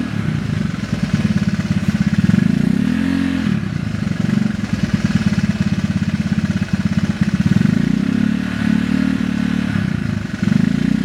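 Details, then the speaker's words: Honda Vario 110 carbureted scooter with newly fitted stainless R-One standard-racing exhaust: fast hard clatter over idle and blips, tracking engine speed; owner says engine currently ticks (ngeletek), cause unknown. "Kita sekarang bakal tes sound secara langsung ya knot R1 ini di motor varos 10 karbo cuman eh motor gua sekarang lagi ngeletek ya suaranya jadi e pasti bakal kedengaran sih suara ngeleteknya"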